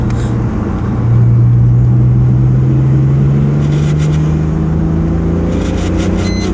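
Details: Mitsubishi 3000GT running with a low steady hum that rises in pitch with revs; cause not identified.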